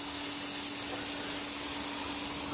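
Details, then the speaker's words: Daikin packaged chiller doing no work, with a tappy compressor and an oily patch: loud continuous gas hiss over a faint steady hum as refrigerant escapes on the high side from a pipe snapped off at the reversing valve coil; refrigerant leak. "I wonder if we got a gas Le that's on the high side I can hear that I can hear that that's what's happened pipes come"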